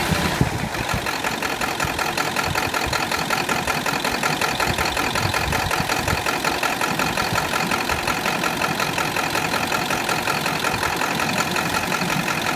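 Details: 2001 Ford F550 7.3L diesel at operating temperature: loud idle with an uneven, stumbling beat and ragged revving, with intermittent misfire and smoke once warm. A cylinder is dropping out; injector suspected, not confirmed.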